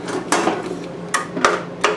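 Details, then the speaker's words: 32-year-old Craftsman lawn tractor, 11 HP Briggs engine, bogged and died when blades engaged; with fully charged battery and tight cables, trying to start gives only sharp uneven clicks, no cranking; owner suspects old solenoid and ordered a replacement. "when we trying to start it seems like the Sol No Sol noid is going"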